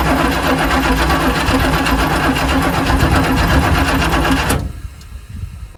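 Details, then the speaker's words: 1979 Chevy Suburban 8-door shuttle with a new battery, fuel line to a temporary tank and a fuel filter: steady cranking at about four beats a second, but it never fires. No fuel is reaching the carb, and the owner suspects a fuel-delivery issue. "I'm going hit it with a little starter fluid. I'm not getting fuel to here."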